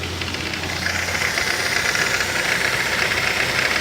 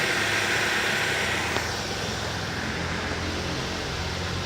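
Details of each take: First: 2008 Ford Focus 2.0 16V Duratec automatic: quiet in neutral, but rapid uneven tapping about four per second over a hissy running engine when shifted into gear; mechanic suspects the timing chain or something external; engine knock when engaging gear. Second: 2008 Ford Focus 2.0 16V Duratec automatic, after suspension work including rear stabilizer bushings: steady, even engine hum with background hiss once in gear. The earlier noise is gone, a normal running sound.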